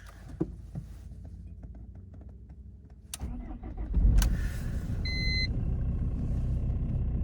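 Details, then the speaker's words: BMW E46 320d diesel wagon in northern Canada after a night well below freezing: short crank, catches, steady clatter about four beats a second. Clean, normal cold start. "As you can see, it's been way below freezing overnight. Luckily, no snow yet. This is quite the challenge. Cold start on the BMW."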